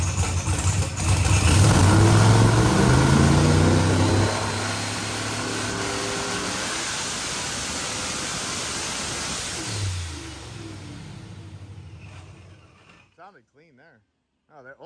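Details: Procharged billet-block LSX Corvette making a full-throttle dyno pull: a deep, loud, even roar for four seconds, then a smooth wind-down with no misses or knocks. The engine runs clean.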